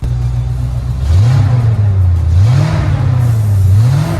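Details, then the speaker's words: 25-year-old Ford F-250 truck, exhaust stock up to the cat with an added muffler and a custom side exhaust. The deep rumble swells through three quick revs and settles each time, smooth with no knocks, sounding healthy. "Oh, that is so cool. And it still sounds really good too."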